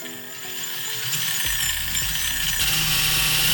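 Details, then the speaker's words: RC crawler on an Amazon knockoff HiLow chassis, just after the pinion-to-spur mesh was tightened: bright, even motor whine climbing smoothly with no clicking or grinding, a little quieter and a different tone. Normal gear mesh. "not bad maybe a little bit quieter a little bit different tone"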